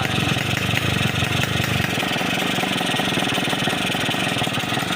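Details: Yamaha RX King two-stroke, first start after repairing a holed piston blamed on too-tight compression, with the head compression modified: crisp, even popping at a steady idle with a loud, raspy exhaust and no knocks or rattles. Runs clean.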